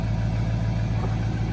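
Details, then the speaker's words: 2004 Ford F350 6.0 Powerstroke diesel work truck, 311,000 miles on the odometer, idling after starting: even, low diesel clatter with a steady idle beat and no stumble or miss; it still starts and idles well. "311 miles and still starts up like a top. I mean, that is freaking impressive."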